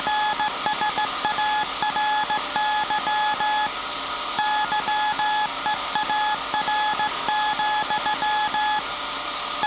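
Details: SAQ Grimeton 1924 Alexanderson alternator VLF transmitter on 17.2 kHz CW, December 1st 2024 centennial transmission; steady high tone keyed in Morse rhythm over faint hiss, normal CW keying.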